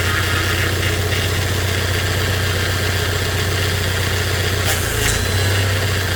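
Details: 3rd gen Toyota Hilux Surf/4Runner after steering rack rebuild and correcting rack guide adjustment (was one turn too tight, causing hard steering and pump whine): steady even idle, low smooth hum, no pump whine; power steering healthy.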